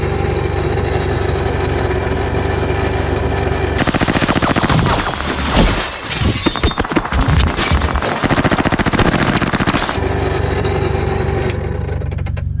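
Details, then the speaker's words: 1988 BMW E28 535is M30: loud rapid machine-gun rattle suddenly over the fan whoosh for several seconds, from the heater blower only, not the cool-air blower; extremely worn blower motor bearings, motor replaced. "yeah that means you probably got something wrong with your blower"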